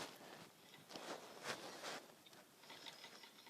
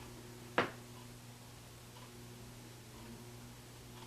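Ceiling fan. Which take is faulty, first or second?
first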